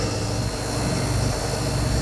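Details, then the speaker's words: Small 9-watt HVAC condenser fan motor running with a coarse, buzzy hum and steady speed; blade was rubbing and likely damaged it, drawing about 0.6 A, too many amps; noisy failing fan motor to be replaced. "Okay, how do you tell when one of these 9-watt motors is bad? Well, when they sound like crap, but also you take your amp meter, put it on one of the wires."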